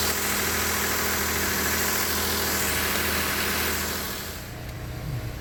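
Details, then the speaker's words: High-pressure fuel pump engine just restarted after a second diesel engine flush, with oil well overfilled: a smooth, even idle with a low hum and no knocks or misses. It runs fine during a one-hour idle, though it later set a check-engine light. "So it's running fine right now. It's also 209, 210. I'm going to give it 1 hour. Just let it sit here and idle."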